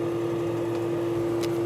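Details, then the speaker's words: Desktop PC hanging after a page refresh with yellow light lit steadily, a recurring roughly five-minute freeze seen with multiple browser tabs: steady mid-pitched drone with faint clicks; system unit humming loudly during the freeze, cause unknown. "И вот она зависла и лампочка сразу жёлтая стала гореть Сейчас я положу камеру на системный блок может быть лучше будет слышно этот гул"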